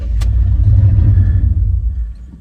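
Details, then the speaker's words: 1989 Chevy Silverado, newly bought and towing: the engine is hard starting, catches after cranking, runs rough and low, then sags and dies without throttle; it loses power, and the owner suspects sticky injectors or a dying fuel pump. "Start up, honey. This thing's hard starting. Listen to this if you can hear it. Oh, okay, maybe it's not. Oh, there it died."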